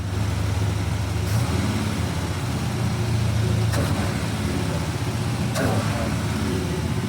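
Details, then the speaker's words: 1979 Chevy C10 V8 after 9 years' storage, carbs gone through and excess fuel pressure addressed: steady even idle rumble, no misses or knocks, some background clatter; running smoothly. "Get that wrapped up. She sounded better. Just went through the carburetors a little bit trying to wake it up."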